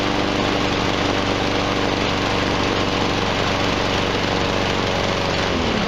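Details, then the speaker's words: Steady, even buzz at constant speed with no misses, knocks or rattles from a nearly new Husqvarna 7021R mower engine after freeing the blade brake cable; no blade fitted; runs really well. "runs really well"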